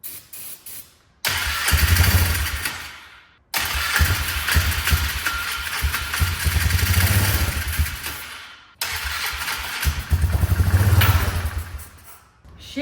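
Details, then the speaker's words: 2004 Polaris Trail Boss 325 four-stroke ATV parked 12 years, after new petcock and coil, run on starting fluid without gas tank: catches in three short bursts, revving then fading as fuel runs out; starts on starting fluid. "We've got a runner on our hands."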